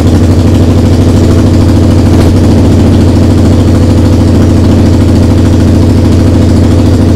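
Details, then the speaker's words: SV twin under restoration, first start after carb rebuild, TPS setting, regulator change and fresh fuel: loud, blatting, uneven exhaust pulses at idle. It runs badly, and the owner suspects an exhaust leak and will check it. "ça tourne pas bien du tout et j'ai vachement de bruit au niveau de l'échappement là donc bon va falloir qu'on regarde ça"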